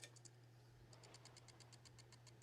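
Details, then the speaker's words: Xbox One cooling fan spun with console open, faulty fan being replaced: light even ticking about eight times a second over a low hum; worn fan bearing. "that fan definitely has the bearings aren't the greatest in that one."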